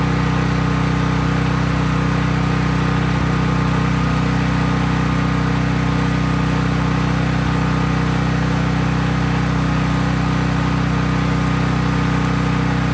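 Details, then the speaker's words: Craftsman 5000-watt generator running unloaded, only an LED bulb plugged in: steady, even drone at constant speed with no wavering or misses; healthy running. "Since I was just plugging in an LED bulb, there was no load on the generator, but when I've added things such as a refrigerator or whatever, some household appliance like a toaster oven, I've definitely done that."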